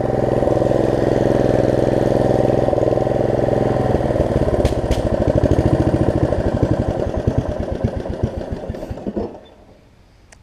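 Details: Snapper RER rear-engine rider, single-cylinder engine, after deck belt replacement and throttle cable repair: slightly uneven beat with occasional hitches before shutting down; carburetor suspected of needing cleaning, fuel-delivery stumble not confirmed.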